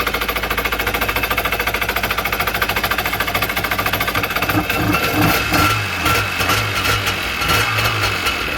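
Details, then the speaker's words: Two-stroke jet ski/Sea-Doo given a shot of gas poured in: rapid popping at a steady beat, turning ragged and uneven as it dies away. It definitely needs fuel; the owner hopes the fuel lines aren't clogged, which is unconfirmed. "let's try it one more time let's go so this is going to be a ripper it's definitely needs fuel"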